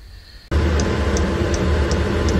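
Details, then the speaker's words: 8 kW 12 V diesel air heater newly installed in a cramped space aboard a Bayliner 2455 Ciera boat, running: steady fan roar with light, even fuel-pump tick about every 0.4 s from its small piston; normal operation. "okay so you can hear that running a little ticking sound is the pump it's got a little piston inside that goes up and down"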